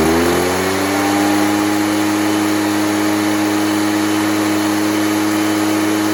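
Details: Echo PB413H backpack blower two-stroke with aftermarket Chinese carburetor, after fitting a new NGK spark plug: climbs from idle to a steady high buzz and holds it cleanly, no burbling or hunting; normal running, improved by the plug.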